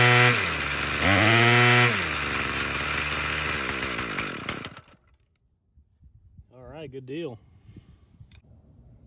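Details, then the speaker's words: Craftsman 27cc curved-shaft string trimmer 316.711170 after repair with new recoil assembly, fuel filter and fuel line, on fresh fuel: small two-stroke buzzes cleanly through throttle blips, then shuts off; revs freely, fully functioning. "right guys well that does it for this one we got a fully functioning trimmer"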